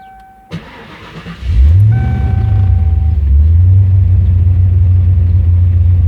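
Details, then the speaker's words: 1995 Ford Mustang GT V8 cold start with new fuel pump and junkyard mufflers: starter turns briefly, then catches with a deep bassy burble settling into a steady even idle, no knocks; normal. "if you hear this video with the sound, it'd probably sound better with headphones because you can hear the bass, the muffler and all that."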